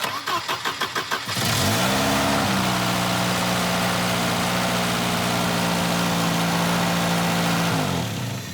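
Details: Volvo 240 after timing belt replacement, after bending in ignition module connector contacts: starter cranks in quick even beats, engine catches, flares briefly and settles into steady smooth idle; sounds healthy.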